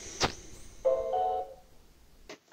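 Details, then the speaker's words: Brand-new Xiaomi Roborock Xiaowa Lite robot vacuum on its dock, not charging: short electronic error chime between clicks and thuds, then stops; owner suspects it came defective. "vocês podem ver ficou só repetir essa mensagem de entrada em cortando a repetirem cortando e não pegando caga né"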